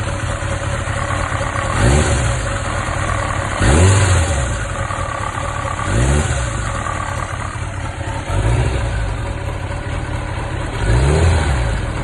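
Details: 1995 Kawasaki ZX1100 (ZZR1100) four-cylinder idling: a heavy knock every couple of seconds from the side cover, appearing when the bike is leaned slightly to the right.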